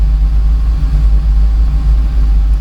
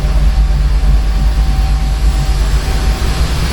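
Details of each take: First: Torana after raising the idle, fan on: deep, even rumble holding steady at about 750 rpm without hunting. Normal idle. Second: Torana being adjusted to stop run-on after shutdown, with the fan running: deep, lumpy rumble with a slow uneven pulse, engine shaking. Idle speed set too low.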